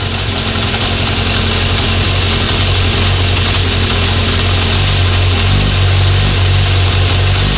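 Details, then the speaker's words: 1976 Honda CB750F1 four-cylinder during carburettor balancing: after adjusting number 4, a loud steady low idle settles into an even unbroken beat; all cylinders now roughly level. A worn chain is noisy at idle but quiet at 2000 rpm. "Hear it smooth out? Yeah. So I'd say they're all pretty level now, so we'll go back to number 3."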